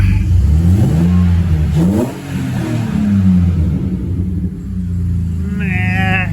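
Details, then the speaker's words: BMW E46 Compact, first start after fitting a homemade exhaust with Mishimoto V-band clamps: engine blips up and drops back cleanly with throttle, louder than hoped, oil burning off the exhaust; normal revving. "Okay, let's see how this goes. It's not too loud."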